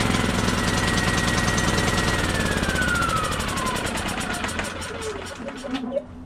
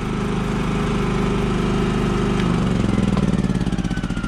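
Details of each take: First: Champion 3400 W inverter generator on electric start: it fires and chugs, but its pitch sags steadily instead of climbing. It cannot gain rpm because the inverter board is shorted, and the short worsens as rising speed raises voltage. The board needs replacing. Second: Repaired and detailed Champion 3400-watt inverter generator, final start: catches and settles into a steady, even idle with a smooth regular beat, no misses or knocks; good to go, normal start and idle.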